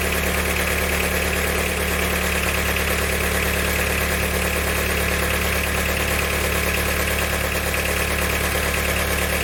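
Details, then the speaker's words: Diesel engine after valve stem seal and head gasket repair with a snapped camshaft bearing retaining bolt: regular metallic knock about three per second over rough idle; knocking injector suspected then doubted, as fuel system is purged of air. "definitely sounds like metals running around in there but it is funny time for this graveyard i just bought the noise might be a knocking injector"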